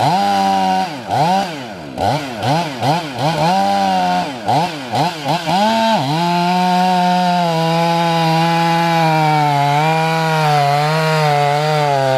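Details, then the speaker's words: Stihl 500i chainsaw, depth gauges never touched: saw bogs and recovers unevenly in the cut, chain grabbing, then a steady high whine; dull chain. "all the way up to this point i have not touched the depth gauges of the rakers on this chain at all the only thing i've done is fallen on it and you hear it kind of grabbing a little bit there"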